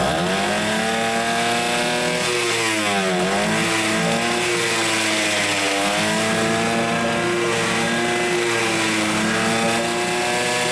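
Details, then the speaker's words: Hangkai 6.0 two-stroke outboard, 2020, two seasons, was sneezing through carburetor and not starting due to broken reed petal; test run after replacing reed, remote tank: buzzy, steady, clean throttle response, no misses; normal running. "Так, чеку поставил. Погнали. Так, признаки жизни есть."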